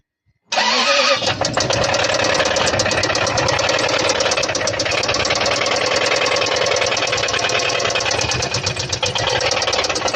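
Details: Engine with internal knock from oil starvation: catches and settles into a fast, hard, even lower-end knocking throughout idle; lubrication failure, oil passages/plugs blown after an impact, attributed to harsh driving or lack of maintenance.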